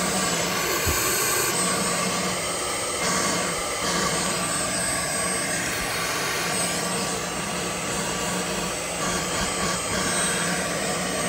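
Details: 2015 Chevy Equinox 2.4L with code P0411, key on engine off, secondary air pump relay commanded on by scan tool: steady loud electric blower roar; pump moves air normally, clogged ports later found as the fault.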